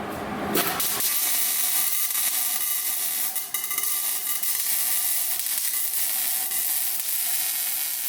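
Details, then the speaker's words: MIG welding a tube front on a notch: loud sizzle with uneven firecracker-like popping because travel speed is too fast; moving slower and evenly is advised. "I feel like it's not this firecrackery for you. Because you're moving too fast."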